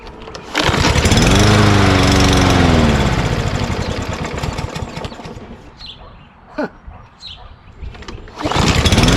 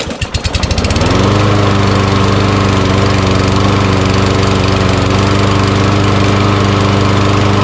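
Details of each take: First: Mower after hard starting and the carburetor being banged: it runs up strongly, sags away and dies, then picks back up at about three and a half beats a second. Owner suspects a sticky float or bowl debris. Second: Auto-choke mower that sat in a shed all year and was given fresh gas: it starts on the first pull, catches within a second and settles into a steady, even single-cylinder run with no misses or knocks.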